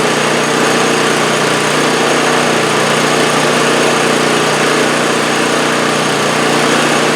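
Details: 2015 MTD snowblower came in for engine surging. Heard after the crankcase vent and fasteners were snugged up: the small single-cylinder engine holds a steady, even buzz with no speed hunting, and the governor has settled; normal running.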